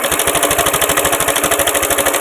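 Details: Honda Beat FI scooter that ran rough like a diesel, with the timing chain tensioner adjuster turned left: even, steady idle pulses around sixteen a second with no tapping or rattle; the timing chain is fine and the engine runs smoothly.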